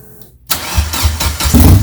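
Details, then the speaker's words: Turbo Suzuki Forenza with new turbo and header, first start after priming: loud rhythmic cranking about four pulses a second that never catches, air in the fuel line purging until fuel arrives; old fuel also possible. "oh more air yeah nice oh yeah it was all air oh now it's fuel"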